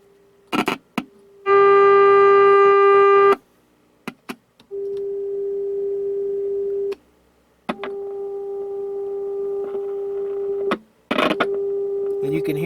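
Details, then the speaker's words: Jackson Bell Model 62 tube radio after new tubes: clean steady mid-pitched tone in bursts through the speaker with no hum or crackle; the amplifier works, coils still need tuning. "all right good news that's the speaker that's the speaker so the amplifier is working so it sounds like all we got to do now is tune these coils in"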